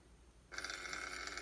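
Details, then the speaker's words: Nitro RC engine during tuning, idle stop screw untouched: a thin, uneven buzzing idle that is almost not running. The idle is far too low; the fix is leaning the low-speed needle to raise the idle. "so as you can hear the idle is super low"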